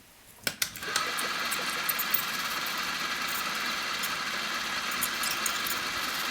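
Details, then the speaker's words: Philips CD555 boombox (1985/86) tape mechanism, pressing play after long storage: button clicks, then only a thin motor whir with no audio; the white lever doesn't go into its notch, so the servo head won't rise to play. "play as you can see or you can hear you hear nothing that's the problem let's have a closer look without the cassette see the lever is not going into the notch"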